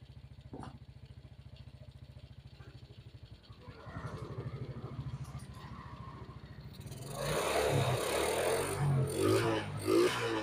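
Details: Suzuki Smash that had carburetor stumbling (brebet) on throttle, now after idle adjustment, carb filter not yet fitted. An even idle, then a clean, quick rise when revved; throttle responsive, no choking. Normal idle and revving.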